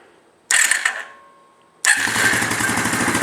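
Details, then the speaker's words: 1998 Arctic Cat 300 4x4 ATV starting right after a new starter was installed. The starter whirs briefly, the engine catches cleanly and settles into an even beat, with no oil spraying. Normal start. "well that sounded real promising like see no oil spraying out or nothing"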